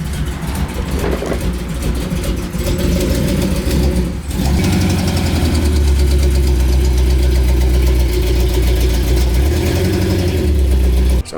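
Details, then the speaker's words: Carbureted V8 truck with a loping idle, running poorly before a carburetor tune-up: fast uneven puffing tick on each firing pulse from a small exhaust header leak. "and also the trunk had a little bit of a header leak you can hear it right here"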